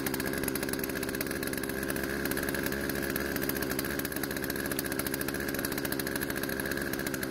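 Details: Poulan two-stroke chainsaw out of storage, after carb adjustment, chain tensioned and sharpened; steady crisp buzzing idle, no surging, stalling or misfire; idle speed needed adjusting to stop chain creep. Normal running.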